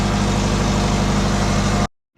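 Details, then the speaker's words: Twin-turbo Subaru with low-mount turbo setup, started after sitting: loud raspy idle with uneven puffing from exhaust leaks at both wastegates and a flange, condensation dripping. "yeah we've got an exhaust leak um both wastegates"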